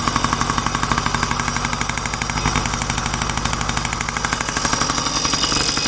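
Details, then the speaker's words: 1990 Yamaha PW50 two-stroke, just started after purchase: steady idle with a fast, uneven metallic rattle seemingly from the back of the engine, cause not yet looked into; otherwise runs well. "start as you can hear is a little bit of a rattle in the the coming from the engine back we uh look into that runs like a dream"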